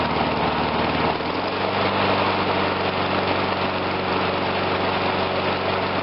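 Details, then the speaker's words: Murray 22-inch push mower, Briggs engine, after carb rebuild: idles evenly, then dips and stumbles about a second in as the primer bulb is pushed while running, confirming the primer works. "I was pushing the primer bulb in to make sure that it's filling up and it's it's a it's working"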